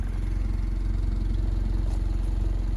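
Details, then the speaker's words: Honda Civic engine at 217,000 miles, after oil overfilled to three times the correct amount was changed to 10W-40: a steady, even idle with regular low firing pulses and no ticking, only a slight shake; healthy. "But yeah, she's running like a top. Pretty surprised, honestly. A little shaky."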